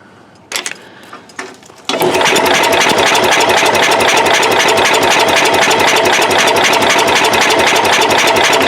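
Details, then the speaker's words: Cub Cadet 108 garden tractor, cold in mid-30s °F, cranks with a steady chug about four beats a second but never fires; spark going weak, owner suspects worn ignition points needing replacement. "yeah she's going from a good good spark to not so good hey guys i think it's just time to get us a new set of points so"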